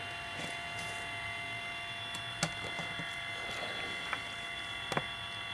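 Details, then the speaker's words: Belimo damper actuator (NFBUP S) powered on bench, driving through its stroke: quiet steady high-pitched motor whine with light ticks, auxiliary switch closing at 50%; runs smoothly, working correctly, unlike the failed motor. "so indeed that is working just the way I want it to go"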